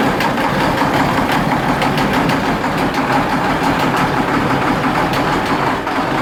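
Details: 1973 Case 1370 tractor diesel idling with a heavy, sharp knock about three times a second, despite good oil pressure, temperature and boost; head gasket previously replaced.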